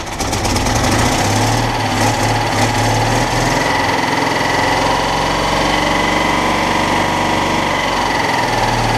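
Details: Citroën Dyane 6 air-cooled twin after carburettor jets were removed and cleaned (it had been cutting out at idle; dirt got past the fuel filter, owner also suspects an air leak at a gasket): settles into an even, steady idle with smooth buzzing beat, no hunting or stalling.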